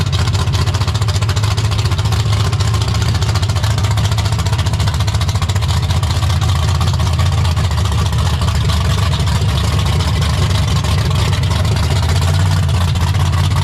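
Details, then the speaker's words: 1972 AMC Javelin with AMC 401 bored and stroked to 431, aluminium rods and stroker crank, built 1996 and first run only the day before: deep, steady, even V8 rumble at idle with no knocks, misses or ticks; normal idle. "So, the first time it has run was yesterday, since it was first put back together in 1996. So almost 30 years ago that motor was built and then never ran. So pretty wild it runs as good as it does."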